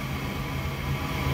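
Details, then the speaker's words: Gas furnace that lit then went out, after cleaning the flame sensor, thermostat calling for heat: steady low smooth hum of the inducer fan while the igniter heats; normal inducer fan running. "okay so we just turned the thermostat on it's calling for heat the inducer fan just turned on"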